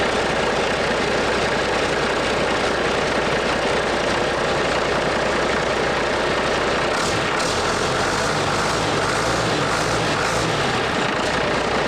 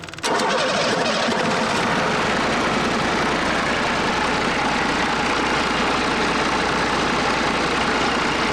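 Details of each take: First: International DT466 NGD diesel, freshly rebuilt: steady, even diesel clatter with no knocking, firing and running cleanly until shutdown; return hose not yet fitted; sounds good, normal engine run. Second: DT408 NGD diesel (P7100 pump, to be rebuilt as DT466) fired up and idling, no knocking: steady clatter with a soft, uneven pulse; number one cylinder firing weaker than the other five, a lazy cylinder, cause not determined before teardown.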